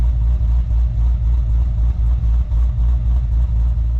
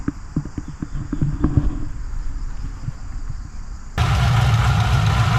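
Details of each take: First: 2014 HSV VF GTS, supercharged LSA V8, 76,000 km: deep, low, slightly lumpy rumble at idle, steady and even with no knocks or ticks; healthy idle. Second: 2014 HSV VF GTS, supercharged LSA V8, 76,000 km, at idle: sewing-machine ticking from the injectors plus an uneven light rattle about four per second from the supercharger bearings and coupling; coupling previously replaced.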